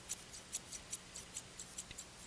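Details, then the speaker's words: Left-handed hair shears after sharpening, burr removal and adjustment: quick light snips about four a second with faint scraping ticks, less noise than before but some lingering at the tip where the problem was. "not quite as much and that noise is at the tip where we had the problem"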